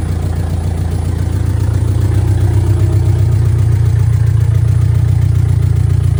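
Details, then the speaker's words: Rough, hunting idle on a VW Mk2 Scirocco 16v with CIS fuel injection, first drive after 20 years abandoned; no exhaust fitted, oxygen sensors present, dripping a little gas; loud open deep idle with uneven wandering pulse around 220 a minute. "Um I'm not really sure what it's doing. It's kind of all over the place, so"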